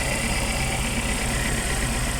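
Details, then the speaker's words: Suzuki APV with one ignition coil getting no electrical supply: uneven, shaky idle with a lumpy low throb that keeps stumbling; engine vibration from the dead coil, fixed by replacing it. "the problem of this uh car is a one Co only there's no no electric so I need to replace this one"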